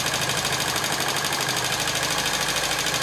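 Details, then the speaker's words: TVS XL100 (Super XL 100cc) idling, before tappet adjustment: fast, even light ticking about three a second from the head. Noise comes from loose tappet nut screws under the side head cover. "మనకు ట్యాబెట్ నట్ స్క్రూలు ఉంటాయి కదా, ట్యాబెట్ నట్ స్క్రూలో sound వస్తుంది."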